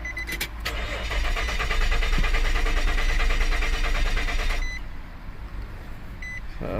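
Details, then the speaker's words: 2006 Nissan Pathfinder 4.0 4x4 with drive-only limp mode, missing PRNDL display and lost TCM communication, very weak battery, CAN network codes: fast, even starter whirr for about four seconds with no firing; crank no start, bad ground or connection suspected. "so the plot thickens now we're in a crank no start okay guys so let's see what our codes are"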